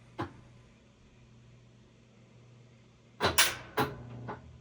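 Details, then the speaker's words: Whirlpool-built top-load washer after control board replacement, test cycle: quiet hum with one sharp click, then a short cluster of clicks a few seconds later; the lid lock engages and releases normally. "Lid lock. Lid unlock. And sometimes if it takes a couple seconds, don't freak out. The board is just trying to figure out what's going on."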